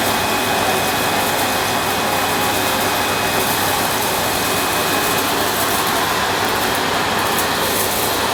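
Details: Panasonic MC-E862 bagged cylinder vacuum, bought new in box, picking up dirt on deep pile carpet: a steady, even whoosh with a faint high motor tone and no surging or rattles; a relatively quiet, good performer running normally.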